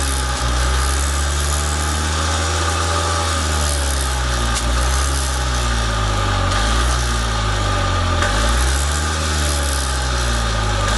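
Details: Columbia Parcar golf cart small single-cylinder engine, long sitting with rancid gas, now running from an auxiliary squeeze-bottle fuel tank; steady even drone, no misses or surges, oil smell noted, normal running.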